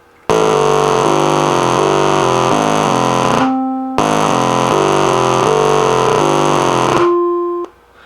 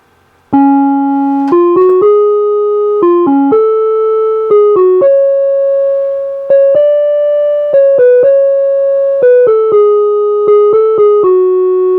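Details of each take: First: NuTone LA60 Concerto electronic musical door chime, over 30 years old: low background hum, then harsh buzzy distorted tones and clicks garbling the tune with some good notes; failing circuit board, not the speaker cone. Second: NuTone LA60 electronic musical door chime, over 30 years old, playing clean, steady notes after being rebuilt with the original speaker cone; the weird warbling alien-like sounds are gone, since the speaker cone was not the cause.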